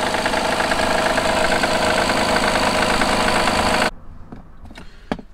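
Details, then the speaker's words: Honda Pilot III (2016) J30A9 V6 at cold idle: steady, fairly strong knock about three to four a second that fully disappears after 2–3 minutes warm and returns after 3–4 hours off; faulty timing belt tensioner. "Запускаем двигатель Honda Pilло и слышим такой стук. Вот такой достаточно сильный стук. И слышится он, пока двигатель ещё не прогрет."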